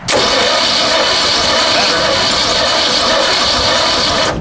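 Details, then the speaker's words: AMC 304 V8 in a machine that allegedly ran two years ago, cranking on a new battery with clean terminals: fast even cranking with a sharp high squeak on every turn; owner suspects a wiped-out cam, not confirmed. "it's still got that squeaky squeaky which is probably wiped"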